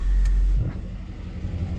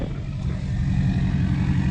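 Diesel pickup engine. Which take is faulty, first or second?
first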